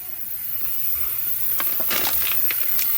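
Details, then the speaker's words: 2018 Duramax L5P during a pressurized boost leak test: a loud, sharp hiss of escaping air in uneven spurts from the front intercooler boot, a large boost leak. "there huge leak you can hear it so that front boot that I've never taken off we have a leak"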